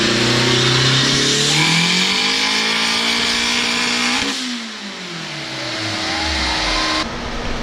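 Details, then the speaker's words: Turbo K20A2 Honda Civic wagon on dyno, Garrett 60-1 T3, 1600cc injectors, about 9.5 psi, old spark plugs: rising wide-open pull breaks up and stumbles near the top, then recovers; worn plugs suspected, to be replaced. "Those plugs are done. Huh? Oh, I bet they were done. You can hear that cut in between on the top end."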